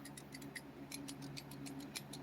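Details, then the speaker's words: Aftermarket replacement key fob shell for a 1999 Mercedes S600 (late W140): light metallic ticks and springy clicks as the key blade flips open. The noise comes from the shell's spring, which the owner suspects is due to the metal button. An original spring might help. "You hear that spring sound, but you know, maybe you can put an original spring. But I think the reason for the sound is because the button is metal."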